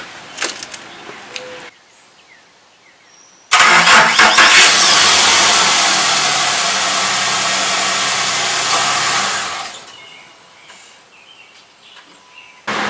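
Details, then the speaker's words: Truck cranking in the morning with an aging battery that failed to start it last winter: starter drags slowly, about three labored turns a second for roughly six seconds; weak battery can't spin the engine briskly. "If you know what a good battery sounds like, you'll know that's not up to par."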